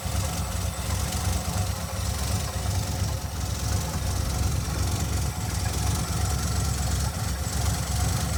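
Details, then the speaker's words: 1982 Ford V8, still cold, after fitting a fuel pressure regulator (6.5–7 psi, previously about 9.5 causing over-fuelling and black smoke): deep steady idle, no hard lope, no black smoke; normal idle. "it's not loping as hard and it's not blowing black smoke out such a little idol"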